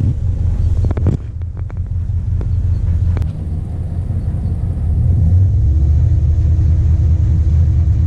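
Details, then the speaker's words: 1996 Dodge Ram 1500 5.2L Magnum V8, code P1391, at operating temperature; deep uneven rumble with injector ticking, idles fine but misses worsening above 1700 rpm until stalling; faulty cam/crank position sensor, fixed with a different-brand sensor. "Mais dès que le moteur atteint la température de fonctionnement commence à courir vraiment rugueux"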